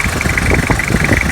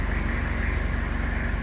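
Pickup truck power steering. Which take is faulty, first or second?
second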